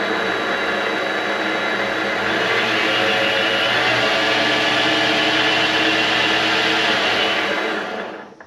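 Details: Vevor MX400 mini lathe after the tension pulley was reinstalled on a redesigned mount: smooth, even high-pitched whir holds steady at speed and winds down cleanly with no rattle or grinding; normal running.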